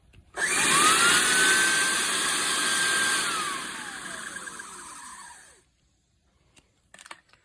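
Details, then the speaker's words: GM Envoy/Trailblazer secondary air pump, fitted above the crossmember behind the front passenger tyre to address a P0410 code, on pump test: steady high whirring for about five seconds, pitch climbing then winding down, normal operation. "Check engine light. Well, the pump test. This is what they should sound"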